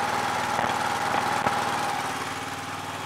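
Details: Yard Machines MTD lawn tractor, 20HP Briggs single-cylinder OHV, after magneto bypass and oil/filter change, idling after leak check: even, steady putter, no misses, knocks or surging; running healthy.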